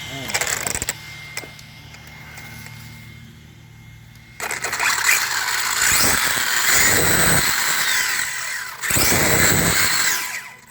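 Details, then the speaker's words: Redcat Shredder RC truck, first run after replacing the stripped center diff with a new one, adding shims/spacers and 1 million weight oil: a smooth rising electric whine from motor and gears, no clicks or grinding; the drivetrain runs clean. "Okay, I think she's good. Sounds good. Yep, she's all back together."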